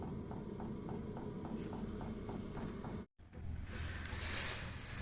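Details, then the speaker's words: Chinese Webasto-style diesel heater under a Renault Trafic 3, fuel pump refixed and wrapped to limit noise: light, even ticking about three times a second over a low hum; from inside the van the clicking is still heard but is a bit quieter; normal. "Et je l'ai bien entouré là pour que limiter un peu le bruit. Ce qui fait que de l'intérieur de l'intérieur on entend claquer mais un petit peu mieux."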